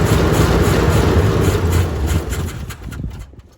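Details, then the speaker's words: Vehicle with an old 350 V8 on open headers, fuel filter dry, gas poured down the carb, used battery; loud deep rumble with uneven lope, then dies. Owner suspects it needs a tune-up and is missing on at least one cylinder. "t's just an old open headers 350 that needs a tune-up and probably missing on at least one cylinder, but, but let's see what we can do here."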